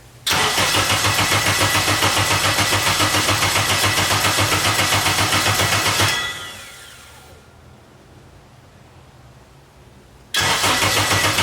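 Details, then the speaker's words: K24-swapped Nissan Cefiro turbo build, first start attempt after engine assembly and wiring: long steady cranking about 3.5 beats a second, winds down without firing; cam signal error, tune borrowed from another car, ignition timing offset wrong. "As far as the not starting, so I'm getting a cam signal error, but the settings I have, basically I got this tune off a different, like off of a car."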